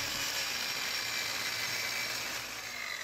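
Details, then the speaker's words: Circular saw that had stopped turning on, after refitting a loose carbon-brush wire and checking brushes: steady high-pitched motor whine at full speed, even, no sparking crackle or stutter; repaired, running normally. "Listo ya quedó como nueva a seguirle dando"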